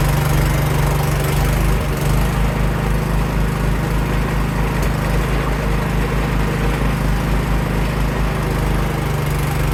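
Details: Cub Cadet 524 snowblower after repair for rough running, started on choke with primer and throwing snow in freezing weather. A steady, even low drone with no surging or misses over the snow noise; the engine runs smoothly.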